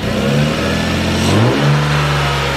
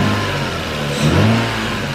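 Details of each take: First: 2002 Lexus IS300 with new spark plugs, still warming up: two quick blips, then the revs sink back lazily over a second or more; owner suspects the throttle cable needs adjusting. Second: 2002 Lexus IS300 still warming up, after new spark plugs and throttle cable adjustment; revs climb briefly then fall straight back to steady idle without hanging, previously hung; normal rev return, issue apparently fixed.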